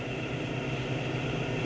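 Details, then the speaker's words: Automatic washing machine that is noisy while washing: during spin-dry it runs with a steady, even, quiet hum with no knocking or grinding; normal spin, noise suspected from motor bearing during reverse/forward wash. "So ayan na nga mga kaik no pagka spin dry siya ay tahimik lang."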